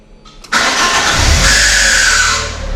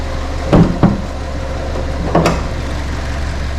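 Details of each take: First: 2009 Ford KA salvage car: brief rough crank catches, then a scraping whine hangs over the fresh idle; starter motor failing and needs replacing. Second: 2009 Ford Ka, a Copart category N salvage car with no service history, inspected on delivery with the AC off. A steady, smooth low idle hum has a couple of clunks from handling nearby. The engine sounds healthy. Normal idle.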